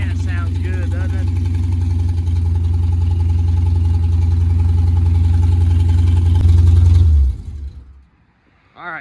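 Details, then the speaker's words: 1982 Mercury Capri small-block Ford with a new air-gap intake, distributor reinstalled after the engine had been out of time, maybe a tooth or two; steady, even V8 idle with no misfire or puttering, then a clean shutoff. "I stuck the distributor back in it, and it fired right up and it ran good, and that puttering and the carburetor finally went away."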